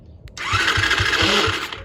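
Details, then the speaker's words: 50cc kid's quad, bought unseen, cranked after spraying: starter whirs with even compression pulses, engine never catches though it briefly started; carburetor cleaning planned next, cause unconfirmed. "Nothing yet. All right, we'll keep trying. All right, it did start for a second just off camera, so let's try it again here. Oh, man. Almost started."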